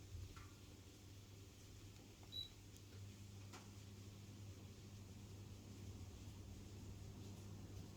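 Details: 52-inch thrift-store ceiling fan at high speed: quiet steady hum with soft air movement and no wobble, clicks or grinding. Running smoothly.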